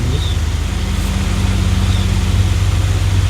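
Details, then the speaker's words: New Havells Ventilair DB 9-inch (230mm) low-noise exhaust fan, wall-mounted in a room blowing air out, mic held close: steady low hum with airflow hiss, no rattle, scrape or wobble; very low noise, strong airflow, running healthy. "दोस्तों इसमें noise बहुत कम है, air flow इसका बहुत बेहतरीन है। ये कमरे की हवा बाहर कर रहा है।"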